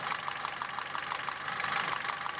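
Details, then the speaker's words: Opel Corsa D 2007, 1.4 Z14XEP petrol engine with LPG equipment, warm idle around 90 °C: sharp regular ticking about six per second; ignition interruptions, possibly a coil arcing to the chassis, causing misfire. "Я чую, що двигун перериває запалювання. Як вони казали, воно ніби іскрювало, а текло до шасі."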